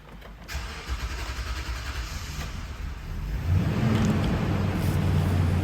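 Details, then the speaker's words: Toyota Sequoia with a long-starting complaint; first start after the fuel tank was reinstalled and fuel lines opened: about three seconds of steady cranking, then it catches and settles to an even idle; normal start, and restarts were fine afterward. "तो यह देखें सबसे पहले starting है जो की थोड़ी सी लंबी होगी और उसके बाद देखिए आप"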